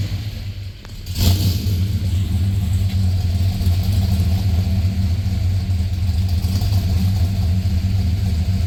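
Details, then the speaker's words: Truck just after a DOD delete and new tune: deep V8 rumble with an uneven, loping beat at idle and when revved, serious misfires on the passenger side; MSD coils suspected, not confirmed. "Justin knocked it out, and truck has some serious misfires on the passenger side."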